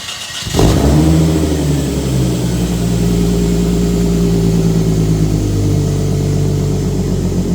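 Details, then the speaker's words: Z just fitted with a titanium exhaust, fired up: catches cleanly, flares briefly, then a deep, steady rumbling idle with no misses; loud but not super loud; normal start and idle. "That sounds so good. It's not even that loud. I mean, it's loud, but it's not like super loud when you like, let's hear it rev."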